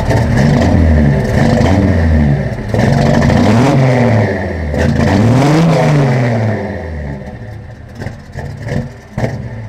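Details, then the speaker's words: Carbureted first-gen project truck, slightly warmed up: on snap throttle the revs rise and sag repeatedly, bogging down and nearly dying before roaring back; easing into the throttle is fine, cause unknown. "when I would smack the accelerator the thing would kind of bog down and almost die you know in then it would kind of roar back to life"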